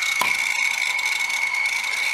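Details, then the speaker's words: Dead hard drive in a caddy spinning up with a harsh, high scraping screech as the read head drags across the platter; head crash. "i don't like the sound of a head crash but sometimes it can be pretty funny let's see oh god oh my god that's a terrible sound"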